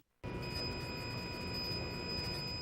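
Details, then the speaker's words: Toyota Prius 2010–2015 hybrid setting off: soft hum with steady high-pitched tones from engine compartment; normal electric drive motor operating sound. "This is the sound of the motor in operation."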